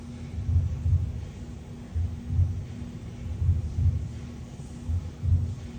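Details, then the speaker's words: BMW N63 V8 after replacing the DME and bleeding its secondary coolant circuit to cure a cylinder 4 no-spark misfire, with all eight plugs new: a deep, even idle rumble, misfire gone. "um but yeah so far it's idling good also I put all new eight plugs in there just as maintenance"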